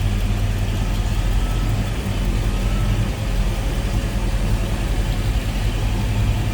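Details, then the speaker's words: 1964 Chevrolet Impala convertible with a 327 small-block Chevy V8, aluminum radiator: deep, steady, even rumble with a smooth low throb and no knocks or ticks; normal idle. "Like I said, good sounding car, nice deep throaty exhaust note."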